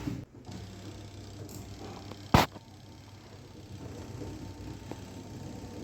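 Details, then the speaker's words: LG 7.5 kg semi-automatic washing machine spin dryer running after removing a cloth stuck inside that had caused loud noise: low, steady hum with no rubbing, knocking or scraping, now running normally. "तो अ इसमें बिल्कुल बात नहीं आ रही बिल्कुल सही चल रही है यह कपड़ा फसा होता इसकी वजह से य काफी ज्यादा मशीन आवाज कर रही थी"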